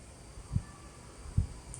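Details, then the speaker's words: Hard drive with two soft, dull clicks about a second apart: normal head seeking, not a fault. The drive was tested with no errors or bad sectors. "我们听一下，是有一点异响，这种异响不是那什么异响，这是刺头的寻道的声音啊，可能虚惊一场。"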